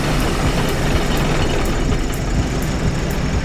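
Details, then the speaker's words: Drivetrain rattle on a roughly 30-year-old Subaru Loyale under power: heavy rumble with a light metallic tick about twice a second, in step with the wheel. The half shaft looks wobbly, and the open diff spins the wheel with less traction. "on the only thing I'm hearing is a rattling let's go check that out"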